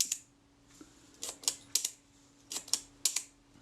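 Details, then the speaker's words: Kodak Retina IIIc shutter set to 1/8 s after bending the escapement pin with a hollow punch to slow it: crisp paired clicks barely a tenth of a second apart; still running fast but much better than before. "that's much better that's fast but it's much better"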